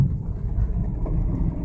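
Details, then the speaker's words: 2001 Ford Mustang pulling in third or fourth gear at about 25 mph under hard throttle: heavy uneven chuffing rumble with violent shaking, sounds like a misfire under load; no shop has diagnosed it yet. "shaking not good sounds like misfire"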